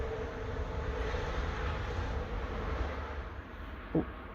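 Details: Vermeer 470 trencher engine freed up after seized valves, head refitted, water in crankcase, bearing caps sat in water, old oil: low steady rumble holding evenly, no knocks or misses; running smoothly.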